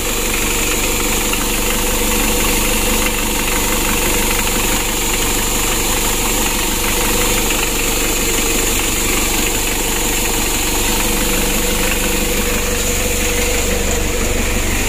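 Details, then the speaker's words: Freshly rebuilt 2017 Mitsubishi L300 diesel, first start after glow plug preheat: even diesel clatter about four beats a second, steady and unbroken, started immediately; normal idle. "ya ini awal hidupnya teman-teman Ya seperti ini ya alhamdulillah untuk mesinnya sudah hidup hidup awalnya seperti ini"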